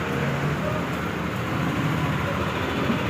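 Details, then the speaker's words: Yamaha NMAX V2 scooter, about 46,000 km, previously noisy, after rocker arm replacement, bodywork off: steady even idle with smooth low hum and no tapping or clatter; normal quiet idle after repair. "Compare doun sa videong maingay kanina. Ayan na yung motor ni sir. NMAX P213 yan. Nakahubad pa. pa nalilinisan. So after niyan, lilinisan natin yan. Yan. Tahimik na tahimik."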